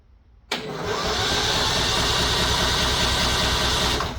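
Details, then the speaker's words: Simplicity ride-on mower with a charged replacement battery fitted, parking brake on: starter turns the engine over briskly and evenly for about three and a half seconds but it never fires; the original battery was flat. "All right. Well, she turns over. Uh, just the the battery that came out of it didn't have the juice."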